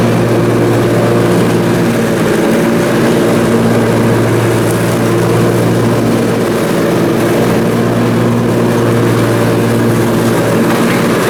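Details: Briggs & Stratton Intek M44 twin engine after a full twin-carburetor tear-down and clean, under mowing load: steady, even low drone, no rise and fall in speed; sounds way better. Normal running after repair.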